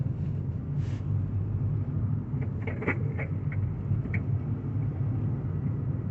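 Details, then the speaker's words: Car driven over bumps with creaking and squeaking from the rear rather than the front, short squeaky creaks over steady road rumble; worn rear shock absorber bushes creaking. "You can hear lots of creaking, squeaking, and just very annoying, unpleasant noises from the back end on this vehicle. Most cars you get that noise coming from the front. This one is generally from the back, so we're going to have a look at that."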